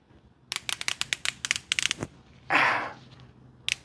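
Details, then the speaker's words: 79-year-old airplane abandoned over 7 years: old rubber fuel line flexed by hand gives dry crackling snaps and crunch as the hardened rubber breaks inside; lines to be replaced before starting. "That is all that rubber inside braking. Oh, wow. Yep, and that fuel line is absolute trash."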